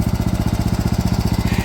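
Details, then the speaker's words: DR all-terrain mower with a Kawasaki FV420V engine after sitting for years: quick, even single-cylinder pulses with no misses or knocks, running healthy. "it ran fine and then it didn't"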